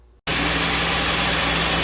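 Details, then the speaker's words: 2013 Cadillac SRX with no AC, after replacing the open-circuit compressor clutch coil and clutch and reinstalling the compressor, running with the jumper disconnected: steady idle with an even hum and hiss, no clunking or grinding; compressor runs normally. "well there it is up and running"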